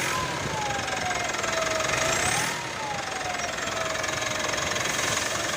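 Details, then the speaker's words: 2017 Mitsubishi Pajero Sport diesel, 104,000 km, stationary, revved after air filter replacement: clear whistle rising and falling with each rev over rough idle, very loud outside; turbo compressor blades (fins) damaged. "Ya, turbonya kisi-kisinya rusak teman-teman."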